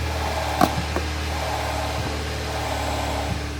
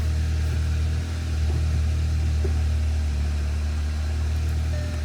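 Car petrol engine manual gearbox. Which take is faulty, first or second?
first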